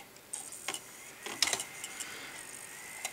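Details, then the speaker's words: Optical drive (LG label, Hitachi mechanism) with Windows Vista DVD, previously not working: sharp irregular ticks about every half second as it keeps seeking without reading the disc; the Hitachi is suspected worn out, cause unconfirmed. "Bon, C'est peut-être pas forcément bon signe le son qu'on entend là, mais donc vous voyez, hein, c'est un LG."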